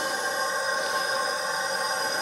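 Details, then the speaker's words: 2006 Suzuki Forenza after a timing belt breakage, leak-down test on cylinder 3 at TDC on compression, engine off, about 100 psi in and about 10 psi held, no air at the exhaust. A steady airy hiss, slightly quieter, with heavy leakage past a bent intake valve. "so it looks like we got another vals doesn't sound quite as loud but of course there's a lot of leakage"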